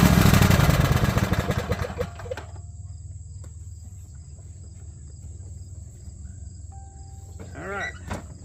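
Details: Mower engine after refitting the valve spring, retainer and keepers and adjusting loose valves; after a loud start it settles into an even, steady low drone with no misses or knocks; healthy, smooth running.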